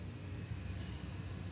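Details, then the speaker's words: Tesla Model S with large drive unit installed, powered up: low steady rumble with thin high whir and hiss partway through as the air suspension compressor fills the airbags normally. "That's the airbags filling up."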